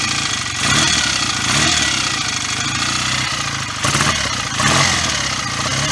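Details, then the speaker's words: BSA A65 twin just after a full top-end rebuild with new piston rings: even, steady beat with a couple of throttle blips and no misfire or stumble, and no exhaust smoke; normal running. "Pretty sure we would have seen quite significant clouds of smoke by now, so I'll keep it running."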